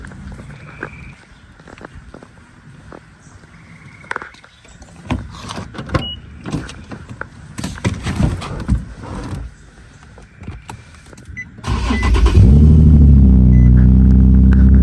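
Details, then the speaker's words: 2012 Infiniti G37 that had shut off while driving and would not crank or start: after fitting replacement fuses, clicks, then a quick crank and it catches into a steady, even idle; fixed. "I want to make sure to show y'all that this actually works, so I'm gonna go ahead and put these fuses in. One right here, and then the other one right here. And then I'm gonna go over here and start my car."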